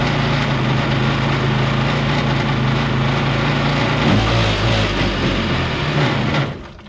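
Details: Kawasaki 750 jetski engine in a mini jet boat, run with the jet pump reinstalled: low, sluggish drone with lots of extra rattle and roar, revving slowly, then cuts off; labouring under pump load, cause unclear, earlier loud noise gone.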